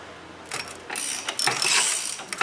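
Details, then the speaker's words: 2014 VW Polo 1.6 8-valve, 34,000 km, on a lift: scratchy high-pitched chirping and ticking in bursts from the contaminated accessory belt as it is tensioned; water pump also noisy, belt noise suspected. "mas ela é famosa por fazer barulho né pode ir além olha o barulho para está tensionando ocorreu ó"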